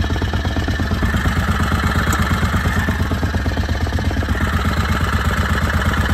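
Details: Harbor Freight Predator 670 22 HP V-twin in an EzGO Workhorse golf cart, after turning the carburetor idle down: steady, even thumping idle at 1100–1300 rpm per tachometer, no hunting or stumbles; idling correctly.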